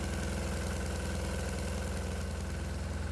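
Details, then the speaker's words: 196 cc 3 hp single-cylinder diesel on normal diesel as a baseline, thumping steadily but a bit choppy at about 2500 rpm under a 70-amp alternator and resistor load; exhaust temperature slightly higher than expected, otherwise running normally. "first we switch on the alternator then the cooling fans and now the four resistors for the load and immediately you can hear the little engine"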